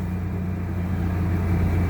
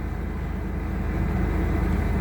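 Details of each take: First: 2001 Chevy Blazer that only cranked without starting, after a part was heat-dried with a blow dryer and tightened with a T20; low steady hum with an even beat, no misses or knocks, now started and idling normally. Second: 2001 Chevy Blazer just revived from crank-no-start, no engine lights after battery reset; steady low idle with slightly uneven pulse about three beats a second, runs a little rough or hard but not missing, cause not evident.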